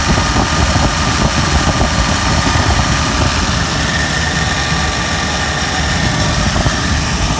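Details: BMW V12, idler tensioner not yet replaced, idling with the AC running: a smooth, steady low hum with no knocks, misses or surging, and the AC load is barely noticeable. It is a normal, healthy idle.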